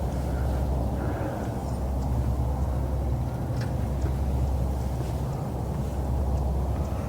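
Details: 1966 Ford Ranchero, factory V8 with manual choke, cranked while holding the gas and working the choke: low, steady churning of the starter turning the engine over for several seconds without ever catching. Crank, no start.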